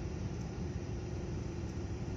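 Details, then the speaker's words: 2008 Hummer H3 with engine vibration: uneven, lumpy idle with a low rumble that stumbles irregularly; misfire at idle, cause not yet found, to be scanned by computer. "ये हमर दोस्तों, हमर H3 और इसमें आ रही है missing. Engine vibration आ रहा है और चेक करेंगे अभी कि इसमें फॉल्ट क्या आ रहा है।"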